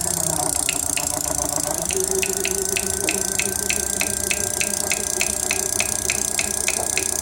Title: clicking sound from motor